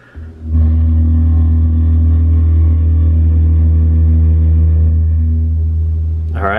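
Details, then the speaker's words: Another owner's RAV4, likely non-US and apparently with a Celsius display, on a very cold start: loud, deep, steady buzzy hum at one pitch; heat pump compressor drone that the owner of a 2021 RAV4 Prime SE says his car makes too, and is seeking warranty service for. "right that's that's exactly what my RAV4 is doing"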